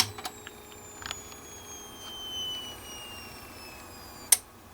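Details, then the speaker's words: VNH2SP30-E H-bridge motor driver with B output shorted to ground, run at variable speeds: thin high PWM whine slowly sinks in pitch, then cuts off with a click as overcurrent protection trips. "And you can hear the that whining was the PWM, and when it turned off, it was the protection."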